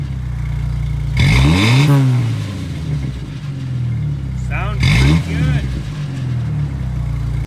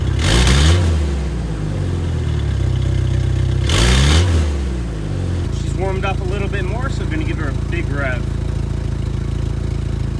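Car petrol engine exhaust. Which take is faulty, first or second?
second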